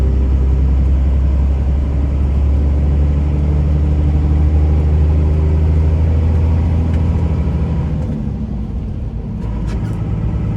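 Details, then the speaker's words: 2001 Dodge Ram 2500 4x4, 5.9 Cummins diesel, 6-speed manual, 81k miles, climbing a hill: deep steady rumble under load, easing briefly at each shift with no grinding; normal gear shifting. "We're gonna head up the hill here and you can hear how smooth the 6-speed shifts. It doesn't grind or hesitate or anything."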